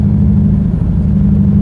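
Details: Mazda 3 engine after blowing during a clutch dump, running rough with a deep heavy drone and lumpy uneven pulse, said to sound like a Subaru.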